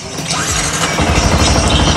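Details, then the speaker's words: Yamaha R15 after cleaning rust from the starter button contacts (holder not replaced): brief starter whir, engine catches within a second and runs evenly; electric start now works normally. "sekarang tinggal kita tes starter teman-teman bisa lihat sendiri ya staternya sudah bisa"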